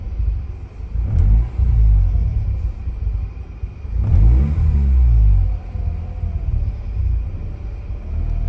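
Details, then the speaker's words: 2004 Mazda RX-8 rotary after sitting two years, code (system too lean bank 1) just erased: lumpy uneven low idle sagging and surging, close to stalling; cause unconfirmed. "i don't know if that's gonna help anything and then i'll just see if i can let go my guess just seems like it wants to die right now"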